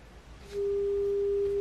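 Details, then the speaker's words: Fader Labs Frisk 7 portable scratch turntable: a pure, steady tone near 400 Hz swells in and holds, acoustic feedback through the built-in speakers. The feedback goes away when the unit is held by hand. "see so when I hold this see how the feedback goes away so I'm going to have to figure out a way"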